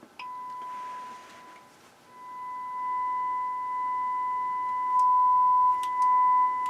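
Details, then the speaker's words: HH Scott R-316 receiver after repair, phono stage fed a 1 millivolt test tone with volume cranked: steady, pure mid-pitched tone, clean on both channels, no hum, crackle or distortion; phono stage working properly. "sounds good on both channels so funnel stage is working great"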